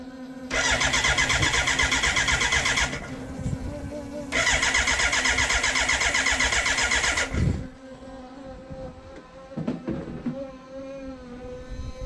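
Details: BMW K100 café racer build, fuel injected, ignition on and fuel pump running: two bursts of steady starter cranking at about four turns a second that never catch. Fuel can be smelled. No spark because the kill-switch positive supply, pin 10 on the ignition unit, was not connected.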